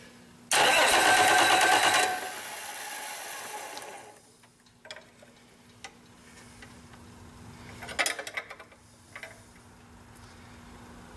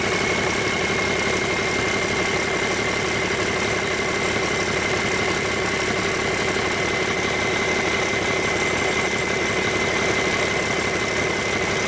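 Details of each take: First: Rebuilt Cummins 8.3L diesel with inline injection pump, destined for a Hyster 15K forklift. About 1.5 seconds of loud starter cranking without firing, done to push fuel through the injection lines while bleeding air before the first start. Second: Rebuilt Cummins 8.3L diesel with inline pump, for a Hyster 15K forklift, at its first start after rebuild and fuel-system bleeding. A steady, even idle with a smooth regular beat and no knocks or misses; it runs healthy.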